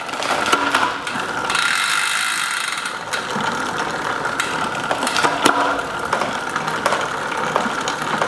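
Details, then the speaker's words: SRAM AXS bicycle on the workstand after derailleur adjustment: light, even chain whir with brief clean clicks on each shift and no grinding or skipping; drivetrain now shifting normally and much better. "You'd probably be riding in that gear, maybe in the big ring. And it's a lot better now."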